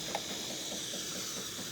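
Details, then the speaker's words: Jura Z6 espresso machine after grinder repair, thermoblock heated and seal good: steady even airy hiss with no sputter; milk frothing normally. "thankfully I did a good seal as you can see it's definitely froing the way it's supposed to"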